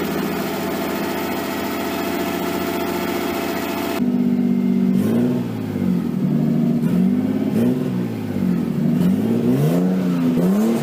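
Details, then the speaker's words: Nissan 240SX S13 with swapped RB20DET, first run after over a year sitting, once power to the wire by the ECU was restored: fast, steady idle with a few quick throttle blips, running smoothly. It was hard starting, possibly flooded, and idle is way too high with AFR unset. "so I finally got the thing to run it started it ran the Idol is hooked too high obviously but at least now have a driving car"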